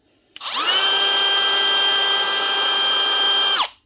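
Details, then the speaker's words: DeWalt DCW600 18V cordless trimmer after cleaning a dirty switch contact that wasn't making full contact: fast spin-up to a clean, steady high whine, even speed, smooth wind-down; normal running after repair. "It actually was a dirty contact on the switch. Must have just been getting full contact inside."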